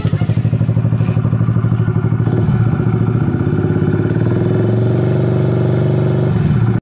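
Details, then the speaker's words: Honda RS150/Sonic150, after a smoking negative terminal, blown fuse and short, now fitted with a new original Honda Thailand regulator/rectifier charging about 14 V: single-cylinder idle with steady, even pulses and no misses; normal idle. "Papalitan ko pa yung tambutso nian E ayan na umaandar na siya okay na yung rs"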